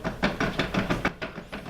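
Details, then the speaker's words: Cheap used mountain bike rear wheel spun by hand after refitting, chain removed: dull loose clicking about five per second fading as it slows; play in worn hub bearings needing replacement. "That is the play and the bearings that go through there. They need to be changed."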